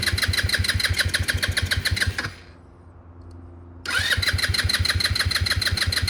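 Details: MotoBravo Roma150 scooter-engined motorcycle, free with no history, being reassembled with what the owner thinks is an automatic choke: single fires up and settles into a steady, even putter about three beats a second, no misses; runs clean.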